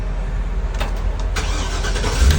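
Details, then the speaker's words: GM food truck engine that would not start, after replacing the ignition switch: short crank, then it catches and settles into a deep, steady rumble with no stumbling, starting normally. "Alright, here we go. I hear the food truck. It's running and working."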